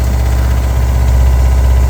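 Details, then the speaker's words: RV fresh-water pump under the bottom bunk beside the water heater: low droning hum with steady throbbing pulse and buzzy vibration felt through the whole RV; old pump being replaced with a low-noise unit. "So I don't know if you can hear it, but it vibrates everything. It's got like a"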